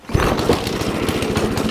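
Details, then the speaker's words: Ariens Deluxe 28 snowblower, LCT 254cc single-cylinder, after full carburetor cleaning and ethanol-free fuel, started on choke and prime: catches right away, quick even putter, no misses; normal start and smooth idle, choke off. "Yeah, baby. Turn that choke off. Right on. It started right up. Nice and smooth, too."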